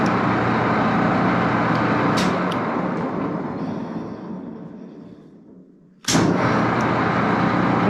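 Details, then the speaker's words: Axelson 14x30 heavy-duty metal lathe, recently installed and little run: busy mechanical whir coasting down over four seconds then restarting sharply; somewhat noisy until fully lubricated, owner thinks acceptable. "so they're noisy for a while until they get fully lubed or something but I don't think this is too bad you know"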